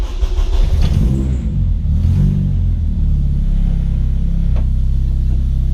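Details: 1994 Civic EG K20-swap race car after fuel-leak fix, first start in a while, 4-1 header and 3-inch custom exhaust: strong clean revs rising and falling, then smooth steady idle with no misses or knocks; healthy.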